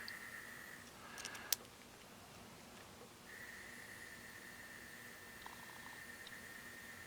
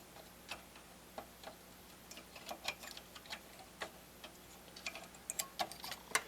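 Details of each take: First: Harman Kardon HK3270 receiver volume motor, bench-run at about 1.6–10 V after cycling to clear suspected dried-up grease: thin, steady high whine between handling clicks; motor turns smoothly and freely. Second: Harman Kardon HK3270 stereo receiver under repair: irregular sharp popping and clicking over a quiet hum, suspected to come from faulty transistors to be checked by heating them.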